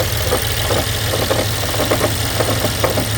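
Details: 2012 BMW X5 with the N63 V8 idling with loose irregular ticking and rattling, roughly a hundred taps a minute. Timing chain noise suspected; it was ultimately fixed by installing a new engine.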